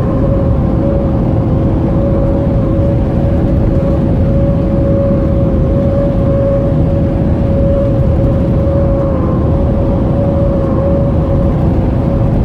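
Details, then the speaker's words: 2010 Toyota SW4 cruising on the road: steady mid-pitched whistle over road rumble from air leaking past a badly seated roof rubber seal, checked during a pre-purchase test. "agora todas as peças se encaixaram esse é o barulho turma que eu falei para vocês que faz aqui na borracha no tempo"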